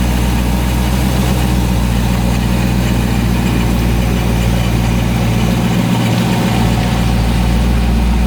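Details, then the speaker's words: ProCharger-supercharged car idling after cold start, owner worried about tune: deep steady idle with even low thrum, no knocks, misses or hunting; normal idle. "okay so that was fine it started up just fine that time minute it's burning like a kitten"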